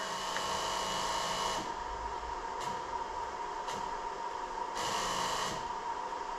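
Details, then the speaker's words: 2000 Jeep Cherokee 4.0L, underhood fuse box, key on engine off: steady electrical buzz with high whine starting and stopping as a fuse is disturbed; hairline-cracked blown fuse chattering the ASD relay, causing start-then-stall unless throttle given. "Well, sometimes these fuses can be blown in just hairline cracks, and touching them can cause them to connect."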